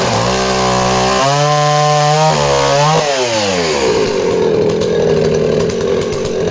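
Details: Danarm 36 "hot rod" chainsaw with stainless steel exhaust, cutting wood: high steady two-stroke scream dips slightly and holds firm without stumbling; intermittent off-load misfire disappears under load, runs strong.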